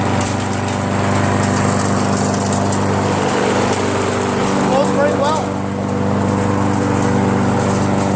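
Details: Briggs & Stratton mower engine with a Pulsa Jet Prime plastic carburetor, after its diaphragm and gasket were replaced: a steady, even single-cylinder run with no surging or misfire, now running perfectly.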